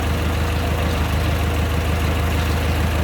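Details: 1925 Durant Star Touring engine, hood open, running on vacuum-fed fuel: low, even idle with steady unhurried beat, no misses or knocks; normal smooth idle, starts right up.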